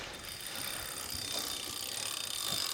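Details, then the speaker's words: Catrike Dumont recumbent trike on a Wahoo KICKR Core trainer, chain on gear 1: fast, rattly metallic chatter and ticking from the spinning drivetrain; chain poorly seated on the trainer cog. "So you're going to know by the sound as to how well it is seated on the cog. So it's a little bit noisy right there."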